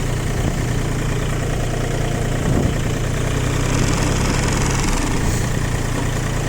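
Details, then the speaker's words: Three-cylinder 18 hp ISEKI TU180 mini tractor at idle: even, steady low throb with no knocks or shake, little vibration even at start-up; the engine runs smooth and clean. "Двигатель работает ровно, без нареканий. Хотелось бы заметить, что даже при запуске особой вибрации нет, поэтому здесь все отлично."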